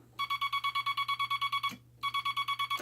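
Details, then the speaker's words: Telegraph bug keyer with dot stabilizer installed and dot contact readjusted: rapid even dots about seven a second, each starting and stopping crisply with no scratch; clean dots. "you can hear a definite start and a definite stop, instead of a very scratchy sound. So that's what we want."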